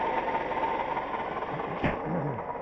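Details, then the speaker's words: Toyota Highlander 2GR-FE at idle: fast, steady whirring tick with thin whistle from the belt end; noise vanished with belt off, a replaced idler didn't help; worn water pump bearing, gone after pump replacement. "Так, шумит с этой стороны. Похоже на шум помпы."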